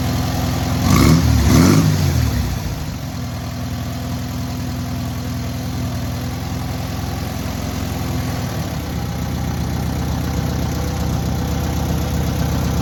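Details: Newly rebuilt air-cooled VW 1600cc engine at its first start and break-in: a quick blip of revs, then a steady, even idle with a smooth low burble; normal idle with revving.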